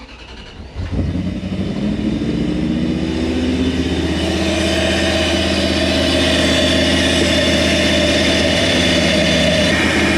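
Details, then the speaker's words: Toyota 1UZ-FE V8 swapped into a Land Cruiser, at idle climbing slightly with faint uneven stumble; cylinder seven misfiring. Injector driver and coil tested good; owner suspects a faulty spark plug or something in the cylinder, not confirmed. "donc il se résume à une bougie d'allumage défectueuse dans le cylindre, quelque chose dans le cylindre sera mauvais"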